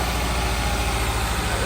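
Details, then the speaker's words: Honda S2000 with 200,000 miles, towed in, started with the starter hanging up, then a rough, lumpy, stumbling idle running on three cylinders; number two cylinder misfire, swapped with number one to confirm a failed ignition coil. "starter hanging up it's definitely got a misfire Lally it sounds like it's running on three cylinders"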